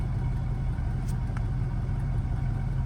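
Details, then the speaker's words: Auction-yard vehicle, possibly on a jump pack, idling warm after a key pull: low, even rumble with steady loudness, no knocks or stumbles; runs extremely smooth, though something is still suspected wrong; slight water drip at exhaust. "see how she's doing here man it's running extremely smooth right now I bet it's running off that jump pack too"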